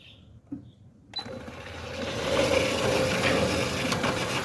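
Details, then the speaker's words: Centurion D6 Smart sliding gate motor on a steel gate and steel ground track: a steady mid-pitched whine and rattle while running. "So you can hear your gate motor is running slower. And the noise is gone."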